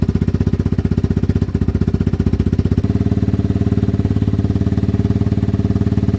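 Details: Yamaha Wolverine ATV, which previously bogged and bounced as if on the rev limiter, revs healthily after cleaning the carb, checking the filter, a new plug and unplugging a faulty handlebar switch: even, rapid thumping that picks up cleanly with no bog.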